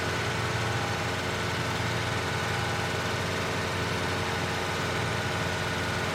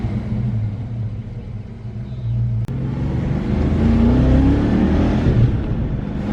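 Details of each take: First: 1993 Ford Mustang Cobra 5.0L V8 held at about 2000 rpm for exhaust temperature checks: rough, uneven note underneath; number three cylinder runs lean, up to 664 versus 350-440 on the others. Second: 1993 Ford Mustang Cobra 5.0L V8 road test after fixing the cylinder misfire that caused 2000-3000 rpm hesitation: deep rumble climbs smoothly through first and second gear with no stumble or misfire; normal acceleration.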